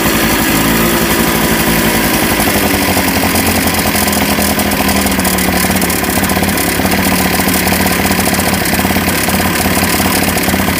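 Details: 1988 Honda Vision Met-in 50cc two-stroke scooter after carb cleaning, kick-started: loud, buzzy idle sitting fast and steady without settling; idle too high, then adjusted lower.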